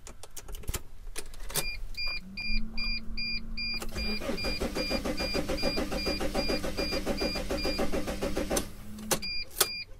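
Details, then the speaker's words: Mercedes Sprinter van cranked with the key from a different vehicle: beeping chime, then about six seconds of steady cranking that never catches; immobilizer lockout, cranks but no start. "assuming it did more than click and it turns over not quite as severe as the battery being dead and like this and it doesn't start we've got more to look at does the tachometer bounce"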